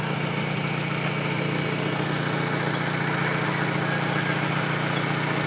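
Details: Car jump-started via parallel cables after its battery fell to 4 volts, now reading 14 volts: steady, even idle at constant pitch with regular beat, no misses or knocks; engine healthy.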